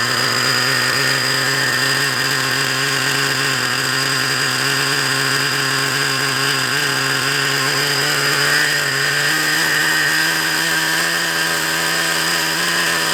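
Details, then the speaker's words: Traxxas Revo 3.3 nitro RC car engine whose previous owner turned the needle screws, leaning it out too much: high, thin steady scream with little low end; lean running. "I know what he's done don't ya he said to me now he's messed around with the screws to try and get him to run but I know what exactly what he's done is he's lamed him out too much"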